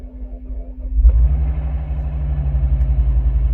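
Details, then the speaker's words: Salvage 2006 Bentley Flying Spur, long stationary, cold day: weak cranking, then it catches and settles into a steady, even low idle with no knocks or misses; normal start and idle. "There she goes. And she is purring right along."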